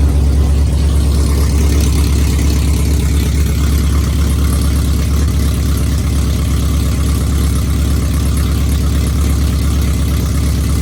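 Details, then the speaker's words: V8 truck with a mechanical DOD delete but DOD still active in the tune, at startup: low, lumpy, off-beat idle like a V6 or four-cylinder, running on four cylinders, two per bank; cylinder deactivation stuck on. "So, and it sounds like a fucking 4-cylinder when you start it up. It sounds like a V6."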